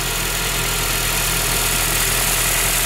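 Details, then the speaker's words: 2008 Honda Civic Si, stock engine, idling with the hood open: even, smooth idle with no knocks, ticks or misses, with only slight exhaust noise. "sound bad for stock engine a little bit exhaust noise not much"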